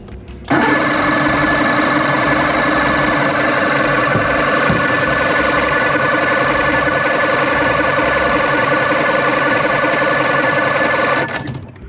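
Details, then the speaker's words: 1993 Evinrude 90 HP V4 two-stroke outboard, after throttle cable and linkage adjustment: steady starter churning for about ten seconds with no catch. The primer bulb is firm and it fired on carb spray, so it seems not to be getting fuel. "seems like it ain't getting fuel. Ain't got no fuel in it. Bulb's hard. It's firm. H, but it fired on carb spray."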